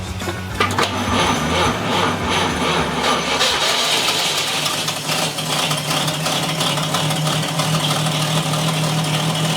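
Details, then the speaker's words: 1947 Chevrolet Fleetline, long sitting in the woods and now running for the first time, still cold with little coolant; the starter cranks, the engine catches within seconds and settles into a steady, even idle with no misses or knocks; normal start and idle. "That sounds good. Dude, that runs good! Woo! That is smooth, boy."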